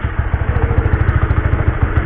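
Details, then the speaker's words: Honda CB150R idling in gear after an experimental rubber fix for noisy drive chain, mic held near the chain: steady single-cylinder thump, even and clean, no chain slap or rattle; normal idle, quiet chain. "kalau telinga gua nggak dengar suara apa-apa selain suara mesin. Suara rantai juga kurang nggak apa kali ya, nggak terdengar kali."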